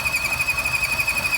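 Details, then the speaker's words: 2014 Chevy Sonic 1.4 L turbo at idle, engine light on: steady high-pitched belt-like squeal, around 2.5 kHz. Owner wondered about turbo or water pump; codes set, water pump ruled out. Cause was the torn PCV valve diaphragm built into the valve cover. "it's my Chevy Sonic and it's got a horrible squeaking noise coming out of it is it the turbocharger is it a water pump it's hard to tell but that don't sound good does it"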